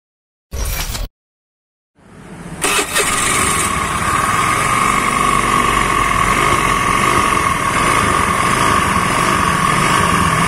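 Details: Honda Scoopy carburetor model (G2 series), complaint of very coarse engine noise; scooter starts and runs with a coarse, gritty drone from the CVT belt drive; worn variator rollers.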